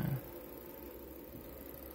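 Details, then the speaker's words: A Goldstar CRT TV that won't turn on, with low B+, gives a thin, very high steady whine over a low hum even with flyback pin 1 desoldered; the noise is thought to come from the chopper power supply rather than the flyback. "Mas o flyback ele tá. Tá com ruído. Ou não é o fly? Acho que não é o Fly não, acho que é o Chopper."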